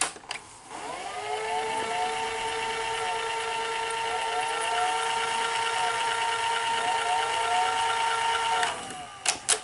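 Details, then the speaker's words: Sony SL-HFR30 Betamax VCR in fast forward: steady motor hum with wavering, swooping tones; owner suspects the servo, capstan or motor and plans to replace the capacitors. "did you did you hear the uh when i was when i was fast forwarding it did you hear that motor it was going hmm so it wasn't it was humming"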